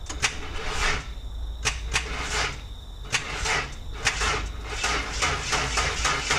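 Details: Project Bluebird, first start after fitting almost-new headers with gaskets: engine catches and is blipped a few times, each rev a sharp raspy bark over a rough idle.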